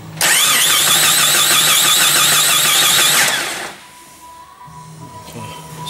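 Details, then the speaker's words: 1994 Jeep Cherokee towed in with no spark: fast even starter whirr about three seconds, no firing; it seems to have compression; suspected crank or cam sensor fault or distributor not turning, not confirmed. "it sounds like it's got compression so nothing to worry too much about it"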